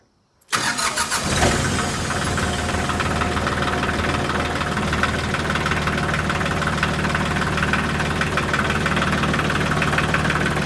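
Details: Old Ford diesel tractor, cold start without glow plugs after sitting a week or two, in neutral, with a rebuilt starter: short crank, catches within a second and settles into a steady, even idle clatter. Good cold start; a small leak is suspected.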